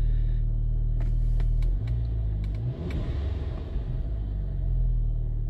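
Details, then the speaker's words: VW Golf GTI Mk5 2.0 TFSI after crankshaft sensor replacement (P0321 G28 implausible signal, dials dropping at 2,500–3,000 rpm): starts straight away and settles to a steady, smooth idle rumble with no misses or knocks. "there we go that's all we need to know about idle's nice to drop down a"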